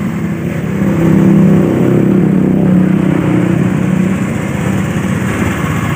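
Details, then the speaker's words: Honda Beat FI scooter after repairing a seized piston (piston and pin sanded), run-in for several minutes: small single-cylinder engine holding steady low idle, no knocking or misses; normal idle. "Kita nyalakan sampai sekiranya beberapa menit, sampai pas di bagian piston dan blok piston yang sudah kita lemer ya, supaya lancar ya."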